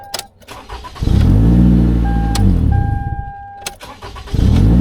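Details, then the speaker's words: 2011 Toyota Camry with P0335 complaint, restart: brief crank, engine catches at once and settles into smooth, steady idle; a clean, healthy start. "But yeah, it starts right up."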